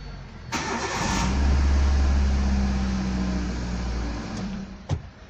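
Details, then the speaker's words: Car that cranked but would not start, after replacing a blown fuse: short crank, then catches cleanly and settles into steady even idle, no stumble or misfire; normal start. "noticed I could start they already change the fuse and now either we are going to try to start the engine as you can see now engine starts let's do it once again"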